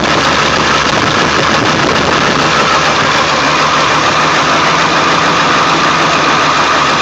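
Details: 1999 Ford F350 7.3L diesel, cold start after sitting for days, plugged in overnight, no check-engine light: loud steady clatter with an uneven shaky undertone at idle; shakes badly, smooth after restart; cause unknown.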